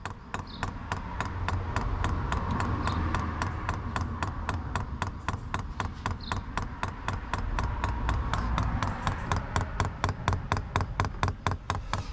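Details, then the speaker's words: Cheap Chinese diesel heater (under £80) newly installed in a Ford Transit Mk8 van conversion, first start: fuel pump priming with steady rapid ticking, about three clicks a second over a low hum, quite noisy; normal priming. "quite noisy but that can be dealt with so that's priming away there"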